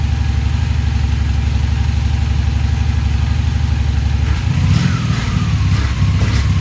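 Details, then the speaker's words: Honda Magna VF750C, cold, with larger jets, carbs unsynchronized: steady lumpy idle pulsing about four times a second, then a throttle blip where revs stumble and hang, a bog; cause not confirmed. "Got a bog. Now don't forget, I've also got larger fuel jets."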